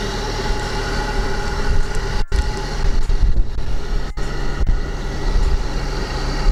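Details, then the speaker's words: Engine idling evenly after jump start with a LiPo jump starter from a fully discharged 5.96 V battery; alternator working, charging at 15.2 V; steady low drone, handling clicks, no knock or miss; normal idle. "The generator is working. The battery is charged with 15.2 volts."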